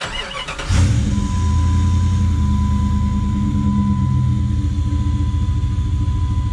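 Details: Trackhawk SUV V8 after tune-up and service, cold, first start checking firing order: cranks briefly, catches at once, even idle with no popping or misfire; oil pressure about 3 bar (50 psi). Normal start-up.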